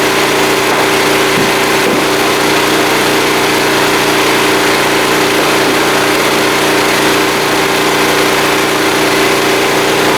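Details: Small blue Walmart generator, about 15 years old, 110-120 V, started on choke after fuel system work and now lighting a lamp; steady, even drone holding one constant pitch with no misses or surging, running smoothly.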